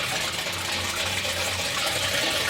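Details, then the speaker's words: Newly installed water heater, water supply just turned on: a steady, even rush of water fills the tank with no gurgling or knocking; normal fill. "Now I'm going to turn it on and you'll probably be able to hear it. The water now the water's going in there. Now I'm just going to fill it up."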